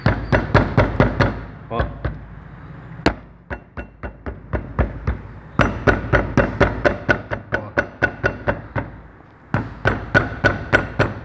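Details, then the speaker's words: Car suspension noise traced to the brake caliper: the wheel is struck, giving sharp metallic clunks about two a second from guide pins with play in their bores, often mistaken for suspension faults. "esse pino que tá aqui ó ele pede ele fica com folga aqui dentro do alojamento aqui ó"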